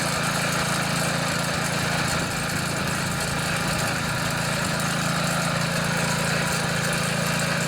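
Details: MTD Yard Machines front-tine tiller, 139cc OHV single, brought in as a no-start; after carburetor and fuel-system cleaning, running on choke. It holds a steady, even, fast putter with no misses or surging, running cleanly.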